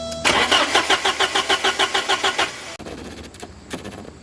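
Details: 1989 Porsche 944 2.7, very low on fuel during fuel-rail pressure testing: the starter cranks steadily at about five compression beats a second for two seconds and never catches; no fuel delivery, injectors not firing.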